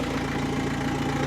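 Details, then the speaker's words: Opel/Vauxhall Astra with swapped scrapyard diesel engine, first start after installation, exhaust not yet fitted: steady idle, even low rumble, no knocking, loud from open exhaust; normal idle. "And there doesn't seem to be any knocking sound. Obviously, the exhaust is still not on the car, but it is running."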